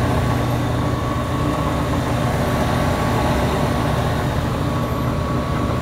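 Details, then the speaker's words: Gas furnace with a replacement blower motor, rotation corrected, thermostat off: constant airy whoosh and faint steady hum, no squeal or thumping; fan should run on until the furnace cools below 100 degrees, then shut off; normal run-on. "all right so the thermostat's off that's going to cool down to 100 and then shut off now that the things the fans spinning the proper way it should cool off and get down below 100 before it shuts off"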